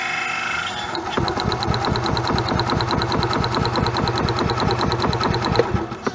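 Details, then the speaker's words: Gas Club Car DS golf cart, cranking during a spark test, with good spark at the plug. Regular high chirps in time with the slow cranking beat ride over the starter churn: a worn, slipping belt squeaking, to be replaced. "very good fire there so that's going to be a plus for this and like I said we are going to change that belt so it'll shut up"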